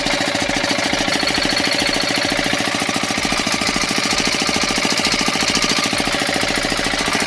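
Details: 5 hp single-cylinder diesel engine after tappet (valve clearance) setting: hard, even clatter at steady rate, no misses, surging or extra knock; running normally.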